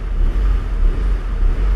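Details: Honda Civic 1.5–2.0L, hot engine, idle air control valve (IACV) suspected with P0505: deep idle rumble whose level dips and recovers about every second; hunting idle surge, IACV fault suspected, not confirmed.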